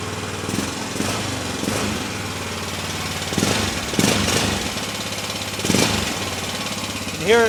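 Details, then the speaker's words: Early-2000s (about 2003) Honda Rincon 650 ATV bought as a parts machine, before top-end rebuild: uneven idle with a loose slapping clatter coming and going and getting louder; timing chain suspected, possibly valve adjustment. "To me, when I first heard it, it sounded like a timing chain. So, it could be the timing chain."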